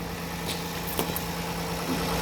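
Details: Kia Carnival 2.7 LPG, partly cooled engine, just after start: a light, quick knock ticks through the idle and is louder when cold, expected to fade within 3–5 minutes. Diagnosed as piston slap rather than tappet noise.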